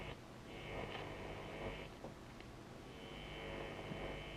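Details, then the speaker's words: Restored vintage radio with its earth cable newly tied to the chassis, tuned off-station: a steady low buzz under faint hiss, present across the band and rising with volume; mains hum coming in through a bad house earth. "And now I'll tune it off the station. And we've just got a buzzing there."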